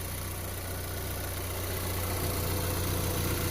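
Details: 2014 Chevrolet Equinox LS with code P0300: low uneven idle with a loping pulse about four beats a second, misfire traced by scanner to cylinders 1 and 2, suspected spark plug.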